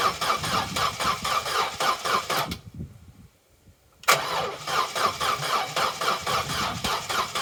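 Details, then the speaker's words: Vauxhall Corsa B sat neglected 4-5 years, on fresh fuel: two bursts of cranking with no firing, turning over slower than it should; crank no start, spark and fuel to be checked. "it's turning over but it's not turning over as fast as it really should for when you're"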